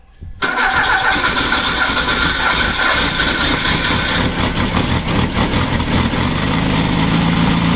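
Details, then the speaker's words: Freshly built VW Baja Bug air-cooled flat-four on the stand, break-in oil with zinc additive, Super Dome distributor: quick crank, catches at once, settles into steady even idle, no knocks or misses; healthy first start. "but we did get it running on the stand and then I went ahead and threw it on that night"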